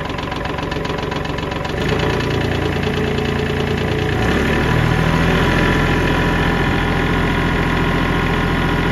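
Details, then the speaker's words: 2015 Kubota L3301 diesel tractor, standard transmission, 500 hours, stalling from trash in fuel tank clogging fuel line; after blowing line and bleeding air: catches, settles into even, steady chugging idle; later lost power again. "cranking everybody uh finally started up I guess what I'm gonna do is if it keeps running I'm gonna try to use it do some uh work around here"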